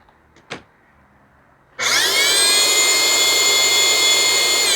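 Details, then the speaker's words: Dyson DC25 vacuum found curbside, motor spinning up: harsh high scream with rough rasp and wavering tones; motor bearings completely worn out after long running. "so they ran this thing until the bearings completely utterly shot I mean nothing left of the bearings"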